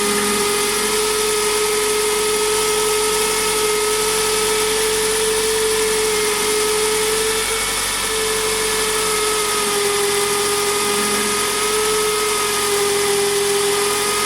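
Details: Toyota Estima ACR30 nearing 200,000 km, engine running: steady high whine holding one pitch, no knocking; water pump barely noisy turned by hand but loud once the belt is fitted; water pump bearing noise.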